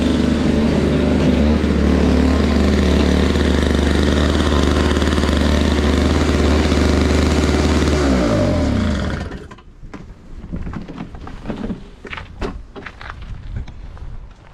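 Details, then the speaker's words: Toro Powerlite single-stage snow blower, model 381182, 98cc two-stroke, old primer bulb, clearing a sidewalk: steady, even buzzing drone under load for eight seconds, then clean shutoff; throws snow short but works. Normal running under load. "don't know, I think it works pretty good. It doesn't throw it real far, but it still beats the shovel, that's for sure."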